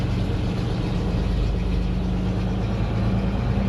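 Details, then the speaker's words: 1961 GMC COE truck from auction idling on choke just after a cold start at 35°F: low, steady, even rumble with no misses or knocks, oil pressure rising, no air pressure yet; normal cold idle. "Let's see how it fires up this morning at 35°. Maybe that one's the choke. Fires right up."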